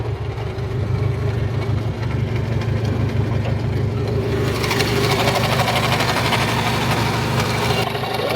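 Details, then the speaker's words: Fiat Punto with AMR500 supercharger, throttle body just moved ahead of the supercharger: rough idle with loose clattering rattle and hiss, far worse than before; supercharger rattle, owner suspects worn supercharger bearing. "It works but there's something wrong with the supercharger That sound is very irritating, there was some noise before but now it's way worse Maybe there's worn bearing in supercharger"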